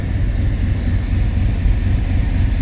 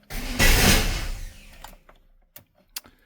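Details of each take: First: 1995 Chevy 1500 V8 after the part hitting the shroud was tied out of the way; oil pressure low, exhaust holed: a deep, even rumble with no knocking; not the smoothest engine but it idles decently. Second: GMT400 Chevy OBS pickup revived after long sitting, first start attempt: the engine catches in one rough burst, dies, then gives a few lone pops. Rough start because the spark plug wires were one position off on the distributor cap.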